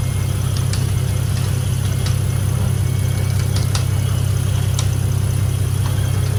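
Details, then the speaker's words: 1986.5 Toyota Supra MK3 with 2JZGTE VVTi swap and DIY cold-start air valve from Aristo parts: cold idle, no throttle, out of gear; steady even low rumble, no misses, knocks or hunting; healthy smooth six. "As you can see, it runs really nice and smooth. You know, I could do a remote start in this build if I wanted to, you know, and it would start reliably. It idles nice and smooth, has very smooth idle on cold starts."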